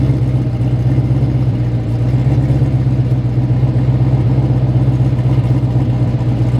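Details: LS V8 Camaro with suspected tight torque converter, deep drone with uneven stumbling beat about four times a second under load; definitely missing.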